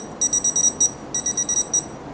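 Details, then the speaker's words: Smart Dog in-ground pet fence collar receiver checked with a tester near the boundary wire: a dozen sharp, high, quick beeps in two bursts with the light on as the correction shock is delivered; working properly. "You hear the beeping, you can see the light, the shock is being administered."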